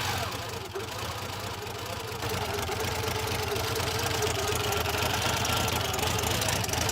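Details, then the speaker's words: 1984 Buick Grand National, first cold start in 28 years after cleaning the air filter, reconnecting the mass airflow sensor and replacing a blown injection/fuel pump fuse: uneven, stumbling idle with an irregular knock-like beat and some smoke; rough running, cause unknown. "it doesn't sound great but at least it runs"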